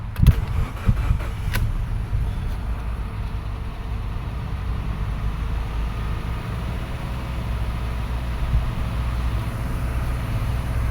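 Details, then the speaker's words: 2013 Subaru Forester SJ, FB16 naturally aspirated, crank no-start after parking: catches after a few rough beats and settles to a smooth, even idle; compression fine, the fault was excess fuel in the cylinders clearing out. "and that is beautiful so there was nothing wrong with the compression what we were hearing was simply too much fuel in the cylinders that'll clear out and this thing should run properly it's nice and smooth"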